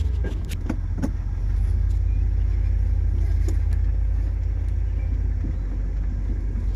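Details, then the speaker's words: 1968 Ford Galaxie XL convertible, 390 4V with C6, first start after the trip home: deep V8 idle with uneven lumpy beat and sharp pops underneath; rough running, carburetor issues suspected. "a lot of popping and cracking going on underneath here"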